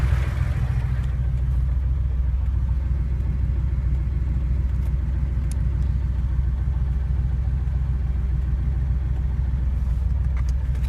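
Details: Porsche 911 engine: deep low rumble with a steady rhythmic knock at idle, about three to four beats a second; engine knock, source undetermined.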